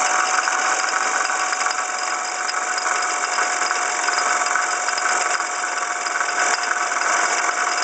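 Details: 1995 Ford Escort idling: fast metallic rattle with a thin ringing tone from the passenger side front of the engine; caused by the water pump pulley damaged in a passenger-side fender accident; alternator replacement only helped slightly.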